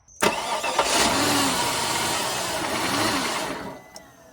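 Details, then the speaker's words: Flood-damaged 2004 Cadillac DTS convertible after repairs. It cranks briefly, catches, runs rough about three seconds, then dies. A security system issue killing the injectors after a few seconds is suspected, not confirmed. "This seems like a security system issue, and so what it's doing is it's allowing the car to start, but it's killing the injectors after a few seconds."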